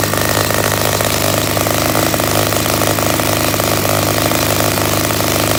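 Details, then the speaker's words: Project pit bike's small single-cylinder engine at its first start-up after carburetor work and a new fuel filter, with the choke on to run richer; a busy, steady buzz holding an even speed without stumbling. "I like to start up with the carburetor air blocked off the choke off or choke on so it'll uh it'll run richer and then once it starts up I'll flip it"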